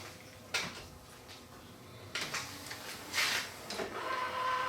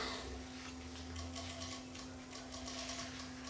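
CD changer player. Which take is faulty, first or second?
second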